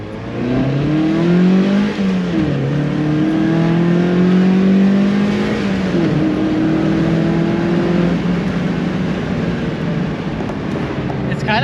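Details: Miata back on stock exhaust after a state referee ticket, pull letting it rev out to high RPM; smooth engine note climbing steadily with mild, subdued exhaust tone; healthy, quiet, feels a little slower.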